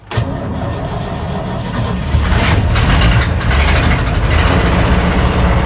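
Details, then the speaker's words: 1965 Chevy C10 pickup that sat in a field, first start after jump box and gas poured into the carburetor: engine catches and runs rough with a lumpy, surging beat. "There we go. A little rough, but we got it going."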